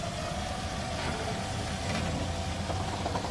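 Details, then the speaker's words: Toyota Corolla Altis automatic: low engine rumble with faint steady whine from the front center when creeping slowly in reverse and forward; suspected transmission noise from coolant-contaminated fluid. "Magandang araw na muli mga boss ang problema ni customer kahit mabagal yung andar niya nakakarinig siya ng ingay pakinggan ni"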